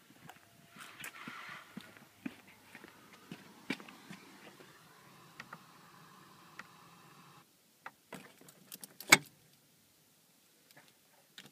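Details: 2013 VW GTI MkVI with the car off: scattered light clicks, a beep, then a faint low buzz/hum and thin tone for a few seconds before cutting off. Owner asks whether it's a concern.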